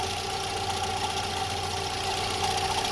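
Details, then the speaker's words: VW EA111 engine (Fox/SpaceFox family) at steady idle: constant high-pitched whirring hum near the water pump and the bearing below it in the timing-belt drive; the owner suspects a water pump bearing problem. "Então tem alguma coisa acontecendo ali na bomba d'água"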